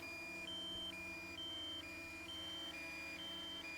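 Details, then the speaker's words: DJI Mini 2 controller critical low battery alarm, triggered at 10% battery during a windy flight: fast alternating two-tone beeps at double rate, about four cycles in four seconds. "Critical battery, critically low battery. And it said that at 10%. So now you hear the beeping is double time. So it's really freaking out right now."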